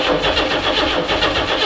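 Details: Barn-find 2.8 V6 Camaro, unstarted for 12 years, on jump boxes: short burst of fast, even starter cranking that never catches; a corroded fuel line leaking gas is suspected.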